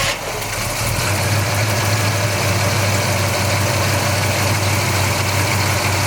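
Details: 1966 Chevrolet Chevelle SS V8 with GM 12-bolt rear, in excellent overall condition: deep, steady big-block rumble at idle, even and unhurried with no knocks or ticks, running healthy.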